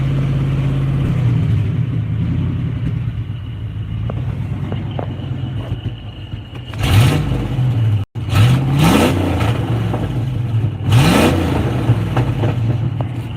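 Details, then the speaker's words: Old beater truck, freshly cranked with no tachometer: deep loud open rumble swelling with each throttle blip; exhaust rotted off and not replaced, completely straight piped, runs good. "No, it just sounds like that because it's like completely straight piped. The exhaust was all rotten off of it, and we didn't put no exhaust on it."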